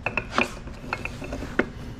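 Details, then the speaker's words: Turbo 1.6 Miata differential, blown for the second time, turned slowly by hand: irregular sharp clicks and scraping catches with a rough free spot; chipped ring gear, ring and pinion apparently failed. "to be honest I don't know what broke it looks like maybe just the ringing pinion gave out that's what it's looking like"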